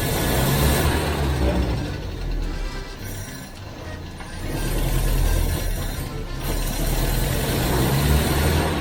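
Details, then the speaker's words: Citroen HY van off the road 40 years, unrun 8 years, after correcting swapped rockers on cylinders two and four: engine rises and falls cleanly with throttle, no misses or popping; normal throttle response. "there we go that sounds bloody lovely"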